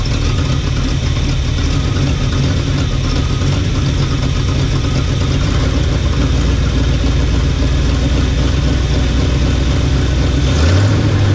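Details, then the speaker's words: 1975 Chevy 4x4 plow truck, hot-wired, on its own fuel pump after new spark plugs: loud raw rumbling idle with harsh chuffing, no muffling; bad exhaust leak with essentially no exhaust, smoking; owner suspects worn rings. "Oh boy, yeah, she smokes and there just is no exhaust on it. It's just nothing,"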